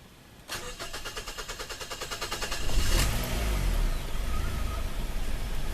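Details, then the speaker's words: 2006 Mazda 3 with lean and vacuum codes, hard to start after refuelling: about four even cranking beats a second for two seconds, then a rough catch with a vacuum leak. A stuck-open EVAP purge solenoid is the cause, and replacing it fixed the problem. "I'm trying to start this engine but the evap plugged in check this out what do we have here we have a vacuum leak I just plugged everything the way it's supposed to go engine will not start"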